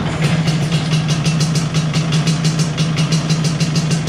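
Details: 1983 Vespa PX125E, first start after six-month full restoration: overhauled engine, new crankshaft, new 177cc cylinder kit, new bearings and clutch discs; even two-stroke putter at steady idle, about five pops per second, no stumbling; normal idle.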